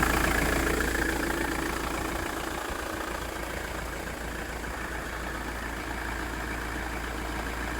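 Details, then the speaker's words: Ford Transit Mk6 Luton camper van diesel, after fixing engine stalling at idle: steady, even idle at unchanging pace, no stumbles or dying away after 5 minutes of idling; normal idle, problem solved. "did we fix it right it's been 5 minutes of idling it's definitely working it's on"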